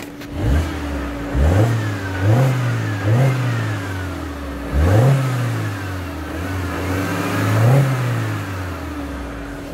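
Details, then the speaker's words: 2009 Mini Cooper Mayfair 50, 1.6 petrol fuel injection, six-speed, 47k miles, full service history, free revving; crisp revs rise and fall cleanly back to steady idle, no knocks or misses: normal revving. "oh i've got to rev the engine as well make sure happy with the engine"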